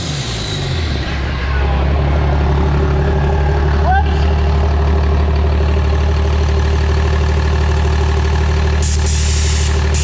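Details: After Motec M141 ECU install on the pro street truck, early tuning: deep, steady diesel idle with an even low rumble and no knocks or misses; normal idle.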